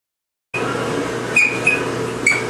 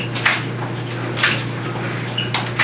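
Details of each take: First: GE clothes dryer just switched on: steady hum with short high squeaks as the drum turns, getting worse into screaming as it runs; worn rear drum bearing squeal, to be fixed by replacing bearing and belt. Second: GE clothes dryer after replacing the rear drum bearing and belt to cure squealing, running with a big load: low steady hum with clothes thumping about once a second, no squeak.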